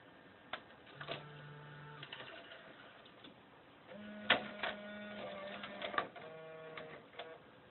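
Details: JVC cassette deck: short motor whines at shifting pitches with clicks and clunks between them; deck mechanism noisy, cause unclear.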